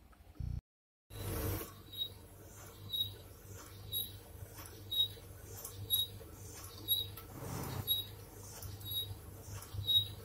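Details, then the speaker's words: Electrolux dryer with cover removed: a sharp high squeak about once a second over a low running hum, from a cracked drum bearing that needs replacing; if it seizes, the drum won't turn and the belt is affected. "จที่ฟังเสียงนะครับก็แน่นอนแล้วว่าลูกปืนมีปัญหาแล้วดูจากสภาพที่มองเห็นนี่ก็คือลูกปืนเนี่ยเริ่มแตกเริ่มแตกแล้วนะครับโต้องหามาเปลี่ยน"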